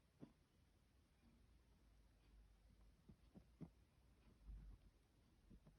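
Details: Vaillant ecoFIT pure 825 combination boiler: faint low hum with irregular deep thumps roughly every half second to a second; cause unclear.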